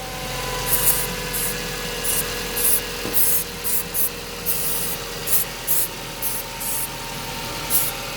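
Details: Mazda 323F racing idle, worse cold: idle holds steady (just above 1100 rpm) while short spray bursts hit intake points checking for air leaks; revs never rise, suggesting no leak; cause not found.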